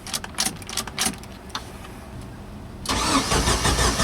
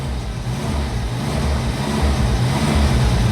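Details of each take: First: Jeep Wrangler YJ that died while driving, cranked with a swapped used computer and the check engine light on. Starter spins steadily in two long bursts but it never fires: crank, no start. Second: Jeep Wrangler YJ that died while driving, no start; after fitting a new crank sensor and then a new ignition coil it starts, runs and revs freely with an even low throb, no misses; coil was the fault, normal running.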